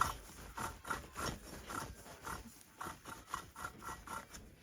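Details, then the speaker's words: Husqvarna 288 XP chainsaw crankcase during teardown, main bearing turned by hand: a rough, gritty rasp in short repeated strokes. The main bearings were failed or nearly failed, and the saw's top end had likely blown. "Really bad. So the bearings went on this saw, or they were gonna completely go."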